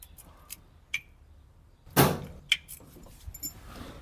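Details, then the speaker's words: 1968 Ford Mustang coupe, first crank attempt in over 20 years, no spark plugs or fuel fitted, temporary battery ground: a few sharp single clicks with no cranking; owner suspects a ground fault. "Alright, she just wants to click. I think we're having a ground fault."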